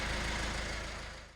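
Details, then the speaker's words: Peugeot Berlingo diesel van, rebuilt after a timing chain failure and now running: steady low rumble with an even beat, no knocks or rattles, before it cuts off; healthy idle that sounds lovely. "So how about that, guys? It is a runner and it sounds lovely."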